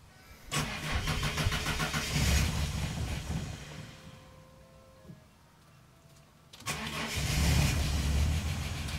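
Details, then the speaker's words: Ford EL Falcon Futura, off the road for years, fuel pump priming: engine catches, runs rough a few seconds, dies, then fires again briefly; starts then stalls. "on in there oh it's conked out all right I did this the other day took about three or four goes to start"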